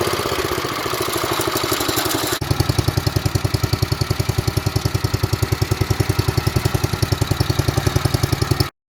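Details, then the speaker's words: 1970s Wheel Horse C121 8-speed garden tractor with Kohler engine, just started after fuel pump rewiring: small single thumping about three and a half beats a second, mostly even but not quite settled; near-normal idle. "satisfying, isn't it? So she's nearly there, isn't she?"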